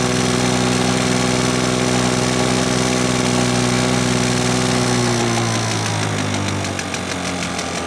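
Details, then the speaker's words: 1980s Victa two-stroke lawnmower, started first pull after fitting a new spark plug: even buzzy drone at steady speed about three and a half beats a second, then winding down at shutoff; normal running. "so there you go folks as simple as popping a new spark plug in and this victor two-stroke lawn mower from the 80s started first pull there"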